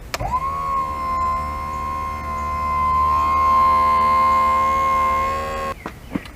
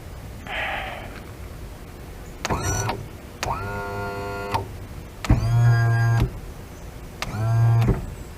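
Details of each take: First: 70hp Johnson outboard power tilt and trim, tested while fixing relays/wiring with an aftermarket jack plate relay board: steady electric motor whine about five seconds running up, then cuts off; motor may sound weak, unconfirmed. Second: Restored 70hp Johnson outboard power tilt and trim motor, with intermittent up/down and weak feel, powered directly from battery; short bursts of steady electric hum starting and stopping cleanly, no grinding; motor runs smoothly.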